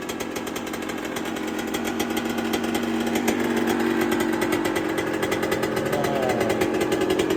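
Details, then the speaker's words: 1999/2002 Yamaha YZ125 converted to YZ144 two-stroke, first start after full restoration and carb rebuild kit, engine not yet hot: loud crackly revving up and holding high, crisp and even, no misfire; normal healthy revving. "she's so loud under here oh the kids are shouting at me yes me she sounds naughty though and she ain't even hot"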